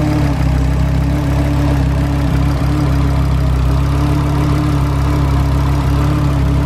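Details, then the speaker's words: Five-cylinder VW Golf RS, idling with low vacuum: a steady whirring from the engine bay that gets faster and higher-pitched when revved. Source unknown; engine shut down. "there's a bit of a weird noise coming from the engine bay so shut it down like a whirring that actually got a little bit faster when you it did get faster when you revved it a little bit higher pitch when you read it"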